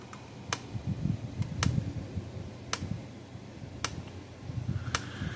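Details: Gallagher MPE2 electric fence energizer on the bench: sharp crisp clicks about once a second, evenly spaced over low room hum; pulsing normally.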